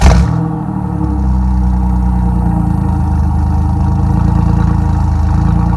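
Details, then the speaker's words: 1997 Chevy Camaro RS, 3.8L 3800 Series II V6, Cherry Bomb Turbo muffler with new turned-down tailpipe: a deep, even idle burble after a brief blip, smooth with no rattles; outside level barely changed, interior drone gone. "but I don't think the addition of the tailpipe has done anything for the noise level it may be a little bit quieter add matter I can't tell"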